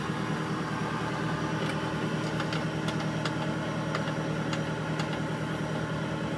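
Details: Chevy Tahoe LS V8 with some miles, uneven idle lope and occasional stumble about twice a second; cylinder misfiring at idle, earlier cylinder-one misfire, spark plug gap suspected, not confirmed.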